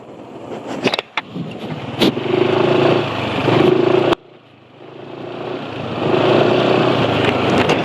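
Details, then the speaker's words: Engine revving on Jaso MA mineral oil at 298 km with depleted additive: revs climb and drop back quickly, even smooth note, not rough, little rattle; oil judged at end of life because RPM falls fast. "RPM mesin cepat turun, tapi suara mesin nggak begitu kasar."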